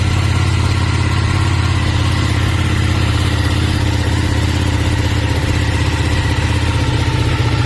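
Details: Ducati 959 Panigale engine after knocking repair runs with a smooth, steady low throb and no knocking.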